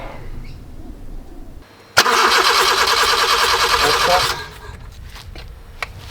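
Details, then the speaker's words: Honda EK Civic four-cylinder compression test before turbo kit install, spark plugs out: about two seconds of even starter cranking, every stroke alike; about 180 on each, all cylinders the same, normal compression. "ring about 180 again that's stopped looking good so far about 180 or whatever good that's amazing all cylinders are sitting the same"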